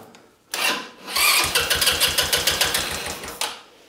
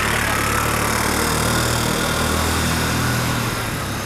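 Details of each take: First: Buggy engine just installed in restoration, idle screw previously backed off and mixture already corrected: catches and chugs unevenly about two seconds then dies; idle speed possibly too low, more idle needed; stalls. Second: Restored budget buggy with small single-cylinder engine on its first test drive after engine install: steady even beat about four per second while driving, no misses or knocks; normal running.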